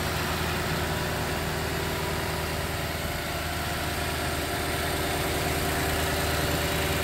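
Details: 2013 Toyota Land Cruiser 200 Series V8, 228,293 miles, about 64°F, radiator and upper coolant hose replaced: smooth, even low cold idle with a steady rumble and no ticks or knocks, a healthy engine.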